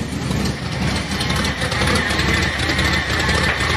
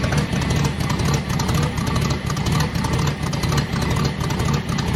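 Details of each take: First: Car at lumpy idle, fuel pressure 5.5 psi, first start in a few weeks: steady high whine over the idle, source unknown; owner suspects the power steering and plans to pull its belt. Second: Old car, first start in a few weeks in cold weather: steady even idle, low regular beat about once a second, no knocks or misses; 5.5 psi pressure running, owner hears possible power steering noise; normal idle.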